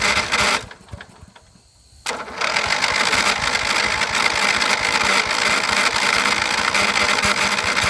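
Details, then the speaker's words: 1983 John Deere 111 lawn tractor, started after long disuse: harsh, gritty grind constantly over the small engine from a pulley needing new bearings; grinding stops as soon as the clutch is pushed in. "so you hear that bad grinding noise that's a pulley as soon as i put in the clutch it's gone so it needs new bearings"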